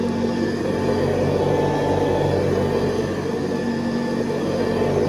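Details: 1970s Hoover Convertible upright vacuum, recently rebuilt, re-lubricated and cleaned, with new bristle strips and a 12-blade metal fan, on high: a steady, even hum with a constant whirr, no rattles, surging or scraping; healthy, normal running.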